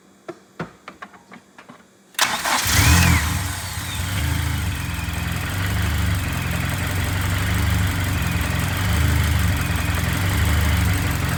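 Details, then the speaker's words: Turbo K24-swapped BMW E36 after head gasket repair with freshly redone head, restarted after reconnecting the fuel pressure regulator vacuum hose: catches after a few cranks, idles lumpy and uneven, then smooths as the rich mixture leans out. "What? It's running too rich. It's starting to lean out."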